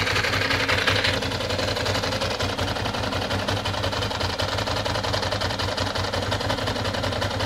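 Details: 1996 Ducati 600 Monster engine. Steady loud idle with a busy, uneven mechanical rattle over the beat; engine noise, cause unclear.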